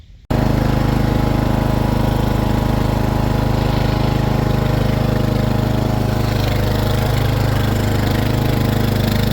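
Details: Husqvarna zero-turn riding mower after drive belt idler pulley replacement: engine starts and settles into a smooth, even run with a steady beat and no squeal or grinding. Running normally.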